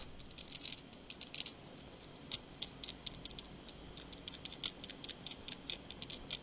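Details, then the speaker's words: On a disassembled Nokia Lumia 920, the removed camera module is shaken, giving a light, irregular clicky rattle. This is the floating optical image stabiliser lens, normal and heard when the vibrating alert goes. "this is the rattle you can hear when the vibrating alert goes"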